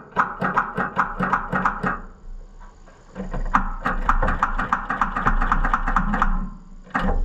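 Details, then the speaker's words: Fiat / Oliver 1250 gas tractor, battery showing good 12 volts: two bursts of heavy, labouring cranking at four or five strokes a second that never catch; the starter drags and lacks strength, cause suspected but not confirmed. "there I hear it try to drag that is terrible it just you can hear it just like it's trying to grab and go but it just doesn't have the guts anymore"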